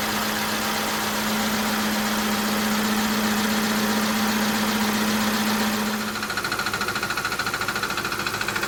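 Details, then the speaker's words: Audi D2 S8 V8, first start in about a year after a 2020 crash (bent cam and power steering pulleys), serpentine belt off: loud steady droning rub over idle, suspected to be the crank pulley interfering with something. "why is that so loud okay serp belt is off let's see if it's internal and I'm screwed"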